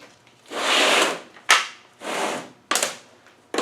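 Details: VE diesel injection pump stop solenoid tested on the bench with a fused test lead: a crisp single snap each time power is applied, the solenoid pulling in cleanly and working.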